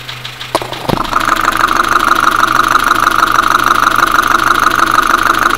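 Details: Dacia Sandero, Renault D4F 1.2 petrol, recorded via a recorder and headphones at idle: sharp regular metallic knock about three per second; loud engine knocking, low oil and possibly a spun bearing suspected, unconfirmed.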